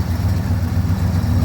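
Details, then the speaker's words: 1973 Ford F250 highboy, believed FE V8 (360, 330 or 390 unknown), running on bad gas, a little cold-blooded; deep even V8 burble at idle with steady low pulses and no knocks or misses; normal idle. "This thing runs really good. A little cold-blooded."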